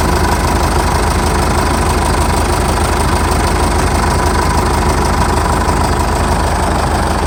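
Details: 2006 Jeep Liberty 2.8 CRD 4x4 turbocharged, intercooled diesel, stock, no check engine lights, just started: steady, even diesel clatter at idle with a smooth low rumble, no misses or knocks; healthy normal idle.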